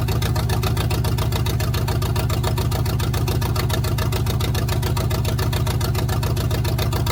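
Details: 1971 GMC truck V8 after installing block hugger headers: a heavy, loping idle with a repeating uneven thump at about 3–4 beats a second. One plug was wet and not firing, so it seems to run on five cylinders; ignition is suspected. Rough idle misfire.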